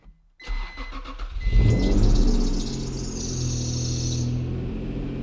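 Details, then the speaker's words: Acura NSX at about 100k miles, cold start: engine catches then a thin high belt squeal over cold idle fades away; occurs only cold, not warm, despite 100k-mile service 3,000 miles ago; belt needs adjusting. "ready for the cold start i get beltwine and i just had a hundred thousand mile service done on this thing like 3000 miles ago"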